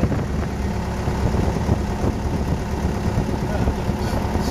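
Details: RV-8 aircraft N623RJ, first engine start: good oil and fuel pressure, temperature coming up, an earlier surge apparently cleared; steady low rumble with an even beat, no misses, knocks or rattles; normal idle.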